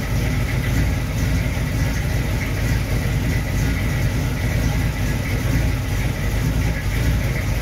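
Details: 1937 Dodge engine idling after a new distributor install and initial timing set; steady, even low rumble with no misses, knocks or ticks; distributor works fine, runs like a champ, but needs new plug wires.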